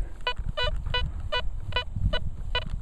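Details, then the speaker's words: Velox 1 metal detector in park: repeated short beeps, some clipped, signal breaking up in some directions; broken target tone owner suspects is foil or can slaw junk. "Hear that little break? Missing it some directions. That's what the that foil or those can saw seems to sound like and do."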